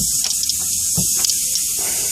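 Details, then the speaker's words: Audi A6 C6 (4F) 2.0 TDI, AC compressor replacement, undoing the pipe bolts at the compressor after a garage evacuated the system: sharp, steady hiss with faint sputters as air rushes into the open line under vacuum. Normal, not a fault. "That sizzle you just heard, it was because of vacuum inside the system, because this system was evacuated."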